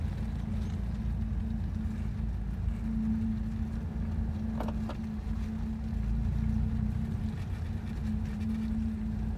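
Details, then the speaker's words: Mazdaspeed3 worn front wheel bearing: low steady hum over loud road noise while driving, with a speed-related rubbing on left turns, despite no play found in the wheel. "whenever I take a left turn it actually you can hear the thud or I guess that's not a thud but it's sort of like rubbing or some sort of noise that does correlate to the the speed that you're going"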